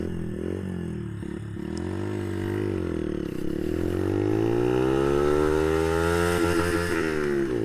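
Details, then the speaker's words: Brixton Felsberg 125 motorcycle accelerating in first gear from a traffic stop through a small bend; revs climb quickly, then the note stutters and cuts in and out as it hits the rev limiter, a little over 10,000 rpm; owner finds first gear too low. "That was not a really big one, but you hear the bike go into its rev limiter. It has a rev limiter about a little bit over 10,000."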